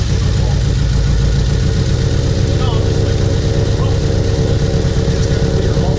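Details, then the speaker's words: Turbocharged HHR build, first start after the engine swap: loud, uneven, lumpy idle with skipped pulses, plus a clinking heard at startup; misfire in cylinder 4 because its coil was not plugged in all the way. "The majority of them was actually due to a misfire in cylinder 4. That was only because we didn't plug that coil in all the way."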